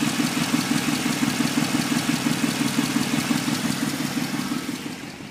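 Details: 1994 Impala SS engine: steady idle with a regular knocking pulse about twice a second over the engine note; source of the noise undetermined.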